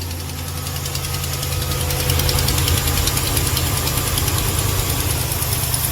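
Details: Truck V8, cold first thing in the morning, ticking only when cold: idle with a quick, regular light tick on both sides over the rumble, not lifter or cam; suspected broken exhaust manifold stud at rear of cylinder head causing an exhaust leak.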